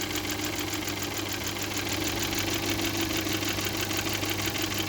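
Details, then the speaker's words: VW 1.4 TSI CHPA, oil level fine, appeared suddenly and driven 800 km; valve cover opened, cam phasers tight and dry. Fast light ticking about three a second from the top of the engine at idle, fading and growing; hydraulic lifters preliminarily suspected, unconfirmed. "Сразу слышно, как идет стук. Не знаю, откуда он идет, но откуда-то прямо вот отсюда сверху. И то притихает, то увеличивается."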